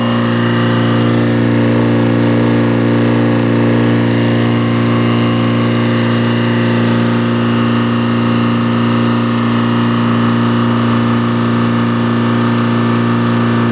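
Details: Detroit diesel that sat a long time, fuel air bled, just started and warming: deep, steady idle with an even drone, no misses or knocks; oil pressure up, charging a little, no smoke, belts loose; normal idle.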